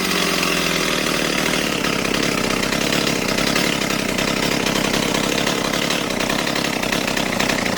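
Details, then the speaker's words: Stihl 028 AV Super chainsaw after a carburetor rebuild, low-speed screw tuned with a tachometer: steady, even high-pitched two-stroke buzz at about 2400 rpm with no surging or dropouts, chain creeping slightly; normal idle. "Alright, I'm pretty happy with that. That's right around 2400. The chain is moving a little bit, so I might back it off just a touch more, but I think those are about the best settings."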